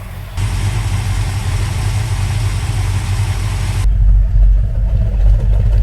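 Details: 1970 Dodge Challenger R/T, owner-built, just after a carburetor swap with a freshly rebuilt carb: deep, loping V8 cold idle, steady and rich, no knocks or misses, warming up for a few minutes; normal cold idle.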